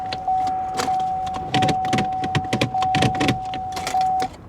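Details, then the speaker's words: Salvage-auction vehicle with one key: steady chime and a few dry clicks but no cranking, service theft deterrent system message; that key not recognized, the other key starts it. "no there's some kind of a power issue it looks like cuz when I go to crank it service theft deterrent system let's try the other key perhaps that one key is just no good"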